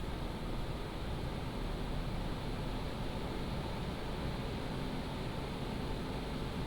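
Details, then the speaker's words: PCcooler DT360 ARGB Display liquid AIO under Cinebench load, medium fan profile, radiator fans ramping up RPM: a constant low, even rush of air with no ticking, rattle or pitch wobble; the pump and fans sound healthy. "In fact you can see my pump and my radiator fan which says R fan. That is the actual radiator fans that is ramping up the RPM."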